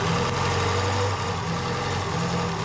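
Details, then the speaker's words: Mk2 Ford Escort with a swapped ST170 engine, early start while colour-tuning (blue flame, slightly rich): fairly even idle with a steady low beat and no obvious stumble. Running much better, though still slightly uneven. "And the engine already sounds like it's running a lot better."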